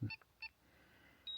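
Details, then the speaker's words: DJI Mini 3 Pro / Mini 4 Pro remote controller switched off in flight: two short high beeps a moment apart, then a brighter two-note chime; normal controller power-off tone, drone then returns to home. "Right, so turn off the controller as you just heard."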